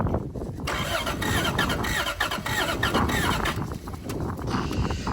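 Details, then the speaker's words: Toyota 1UZ V8, first crank on a fresh battery after sitting several years: rough, irregular cranking about four beats a second with clattery knocks and a faint squeal. Abnormal cranking noise; owner suspects lifter buckets collapsed from sitting on the lobes. "could be it could be cuz of certain the um lifter buckets were on the lobes and they've collapsed"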